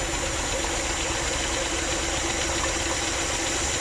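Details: 2014 GMC Sierra 4.3L LV3 V6, 220,000 miles, idling with its valve cover off: a slightly uneven low pulse from a cylinder 1 misfire under loud valvetrain clatter. A collapsed lifter was suspected, but all rocker arms move.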